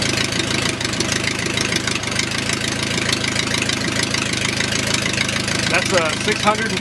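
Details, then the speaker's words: O-84 (4A084) flat-four with ECU fuel injection, just cold-started at about 75°F: even steady 650 rpm idle, cold and rich until 140°F, no misses or knocks; normal cold idle. "rpm idle and cold you'd never get that to do that 500 rpm right now because the engine is going through it cold and rich"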